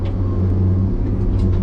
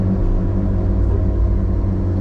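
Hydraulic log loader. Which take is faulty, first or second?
second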